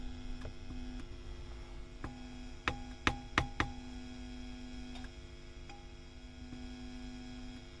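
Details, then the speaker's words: WEM Power Musette Mk 2 valve amp on the bench during service; steady low mains hum with sharp pops and crackles, noisy channel, suspected microphonic Mullard preamp valve. "find a lot of these mullard preamp tubes microphonic so yes a bit noisy this channel"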